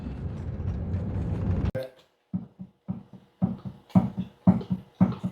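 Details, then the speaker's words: 1999 Toyota 4Runner road test on chassis-ear microphones: sharp knocks about twice a second from the right rear hub area when slowing and braking. There is end play, and the inboard spider gear is suspected loose in the case. Rear differential knock on deceleration. "that's the noise there's end play but I think the inboard uh spider gear has play in the case"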